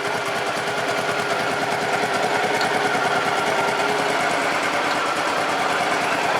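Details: Honda Pacific Coast PC800 running again with new spark plugs after a no-start from an electrical fault, warming up. Steady, even idle with a quick regular beat, no knocks or misses; good throttle response, cooling fan apparently coming on.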